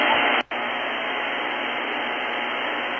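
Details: Luiton LT-310SDR compact all-mode CB radio: loud steady hiss cut sharply above about 3 kHz, one brief dropout, then the same hiss; receiver background static noise floor is far too high.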